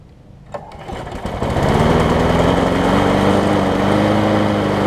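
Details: John Deere JS63C mower after installing a new flywheel key: it catches after a brief crank and settles into a steady, even run with no misses.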